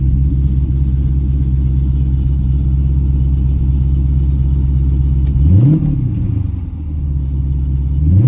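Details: 2010 Dodge Charger after first startup after destroying a set of heads: even, steady idle rumble, then two quick blips that rise and settle cleanly, no knock or misfire; engine runs healthy.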